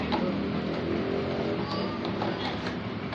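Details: Electric fan that only hummed and turned stiffly, after its motor was taken apart, cleaned and oiled: a smooth, even whoosh with no hum or drag, running normally after the repair.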